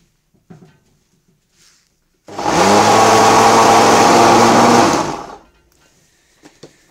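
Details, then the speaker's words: Samsung SC4740 1800 W bagless vacuum cleaner, noisy and humming: runs about three seconds with a coarse droning hum under the airflow rush; motor probably burnt out, possibly from sucking construction dust. "вот звук пылесоса вытащим с розетки и причины в нем то что сгорел мотор скорее всего"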